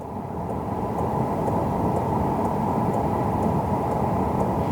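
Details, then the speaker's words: Outequip diesel heater on lowest setting 1, putting out 130-degree air: soft, steady combustion roar with a faint fuel-pump tick about once a second. Smooth, even running, unusually quiet thanks to its muffler. "this mode conserves the most amount of fuel. So I have no idea why this is so quiet."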